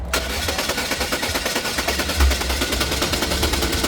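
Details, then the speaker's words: LPG/propane-fuelled car with high gas consumption: rough, uneven running with sharp pops about three a second and the car shaking. Misfire from a dead spark plug fouled by oil leaking past a failed valve cover gasket; fix is gasket and plug replacement. "20 ta rasxot sababi mana. Svecha pishayotibdi mana."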